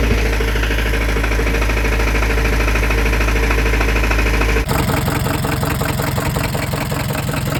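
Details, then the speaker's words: Scion tC after starter replacement, extra oil added: steady idle with regular deep knock about two to three per second, sharp change as revs jump; owner says the car is done for; rod knock. "My car is done. It is done for."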